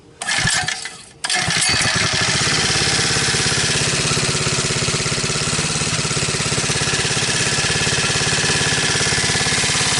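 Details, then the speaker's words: 79cc four-stroke swapped into extended 50cc ATV frame, fed from bottle with choke on: pull start catches at once, then steady fast even buzz with no missing beats; small engine runs cleanly. "Wow. Piece of crap actually runs."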